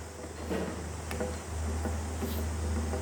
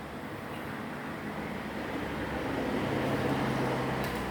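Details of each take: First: Desk or floor fan: steady motor hum with irregular clicks and knocks as worn oscillation gear teeth catch and slip, so it swings stop-start; fixed with cable ties pulling the gear into mesh. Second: Desk/floor fan after an oscillation fix, a cable tie pulling the small gear tight against the large gear: steady soft airflow with a faint hum. It oscillates with no clicking or noise.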